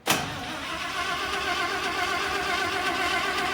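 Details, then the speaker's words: 1967 International Loadstar 1600 shop truck, after carburetor and fuel pump work: uneven cranking churn with throttle held wide open that never catches. Spark and plenty of fuel confirmed; owner thinks it is flooded. Hard starting, cranks but won't start. "let me try it choke no I think we got it flooded is what I think"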